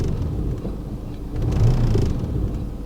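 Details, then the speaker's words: Mercedes A200d diesel with an engine fault and no drive: a deep rumble swells as it is revved, with a loose low rattle underneath. Owner suspects a failed dual-mass flywheel, unconfirmed. Engine rattle. "it appears dual mass is knuckled because that's exactly how it feels I know well it's a note it's in part when you rev it"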